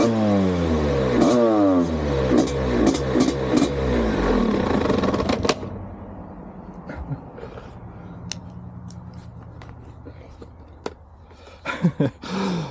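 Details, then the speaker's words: Rebuilt, renovated 1987 Husqvarna WR250 two-stroke on test ride: revs rise and sag unevenly with ragged stumbling pops, then it cuts out leaving faint ticking; misfire and stalling, owner suspects a fouled plug. "Something's wrong. This one also. It starts to misfire badly. I don't know if I fouled the plug somehow or something."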